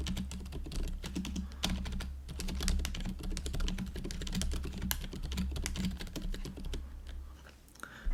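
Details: GoPolar TKL keyboard after silent conversion with Silent Cream Yellow Pro switches and fixed stabilizers, during typing test: soft, muted presses in quick bursts, no sharp clack from long keys; only slight residual rattle; normal operation.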